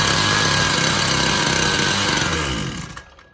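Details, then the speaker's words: Husqvarna 122LK two-stroke trimmer after carburetor rebuild with new gasket: high buzzing run briefly sags and dies within a second, same shutting-off problem as if losing ignition; owner suspects two issues, not convinced it's fuel related. "Same exact problem. And it's almost like it's shutting off and then coming back on, almost like it's losing ignition."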